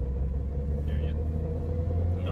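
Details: Toyota Corolla while driving: steady low hum under road rumble that comes and goes; bearings already known to be bad, suspected wheel bearing drone, not confirmed.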